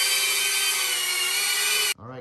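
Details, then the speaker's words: Diatone Taycan 25 cinewhoop on an 850 mAh 4S battery with a Caddx Vista, after 3D-printed duct sleeves closed the gap between ducts and props: a steady, even high whine with no rattle or buzz, lower and quiet enough to fly around people. "notice the cone is lowered and not as loud i can fly this around people and you might not get much"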